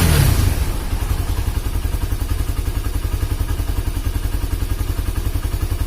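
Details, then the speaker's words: Honda CB150R single after head compression leak (coolant spraying) repair and engine rebuild: steady, even low thump of about 214 beats a minute with no clatter or misses; smooth, healthy idle. "Alhamdulillah sudah halus untuk suara mesin memang motor ini itu banyak sekali kendalanya"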